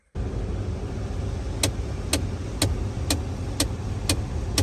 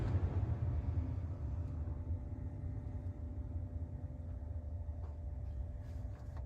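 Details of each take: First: 2016 Ford Expedition, in garage: sharp clicks about two a second from the dash over low idle when temperature set to low, from the blend door actuator (believed the cold-side one); worse when hot outside, actuator replaced as fix. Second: 2016 Ford Expedition after replacing the blend door actuator behind the dash: steady low rumble of the running SUV with the blower on, and no more clicking from the dash; normal HVAC operation.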